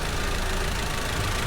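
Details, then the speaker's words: 2019 Audi TT 2.0 TFSI, about 50,000 miles, engine light and hesitation: rough, uneven idle with a dull stumbling beat under the engine drone; scope on the coil shows a cylinder 1 ignition misfire at idle. "So it is struggling to spark or run correctly due to the misfire."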